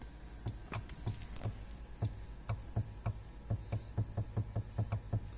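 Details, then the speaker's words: 2007 Suzuki XL-7 power window, heard with the door open: the switch clicks and soft low thumps, about four per second, come from the motor straining while the glass doesn't move; motor stalls. "can hear the window motor trying to move"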